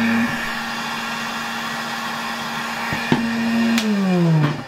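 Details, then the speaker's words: 1964 Gamma II Polish vacuum cleaner with repaired motor refitted, running on the workbench powering a hairdryer from its outlet: steady, even motor hum at one pitch, then smooth falling wind-down when switched off; runs healthy, a bit noisy on the bench. "This vacuum cleaner is a bit noisy here, sitting on my workbench, but otherwise much quieter."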